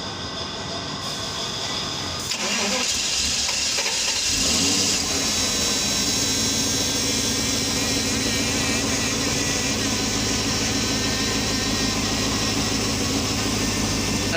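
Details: Mercedes S500 (2000–2006 S-Class): long steady fast cranking that never catches into a run; crank no-start from low fuel pressure, both fuel pumps failed.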